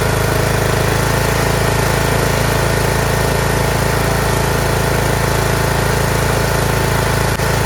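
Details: Craftsman T1600 46-inch lawn tractor, Briggs 19hp, after cylinder head gasket replacement, oil smelling slightly of gas: fuel solenoid clicks, then steady, even idle with firm low beat and no knocks or misses; engine healthy.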